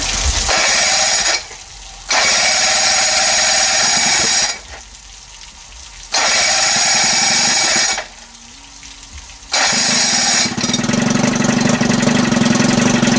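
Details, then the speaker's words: Cold 30 hp Evinrude outboard with no thermostat, a non-working primer and a new throttle cable: raspy running in short bursts that sags toward silence three times, so the idle keeps dying; fuel or ignition timing suspected, unconfirmed. "perfect the water's coming out perfect it started to die out you didn't hear it started lower and lower it didn't sound good"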